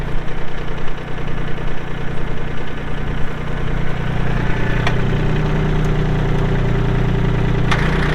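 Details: 2022 Kubota L3901 tractor diesel, 4WD hydro, 219 hours: catches promptly and settles into a steady even idle, no knocks or misses; normal diesel idle.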